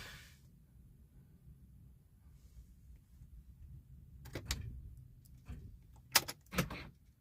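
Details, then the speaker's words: 2006 Chevrolet Impala SS won't start: quiet, then a few sharp clicks on the key turn with no cranking. Cause unknown. "So look, it's not even like doing nothing. It's just clicking."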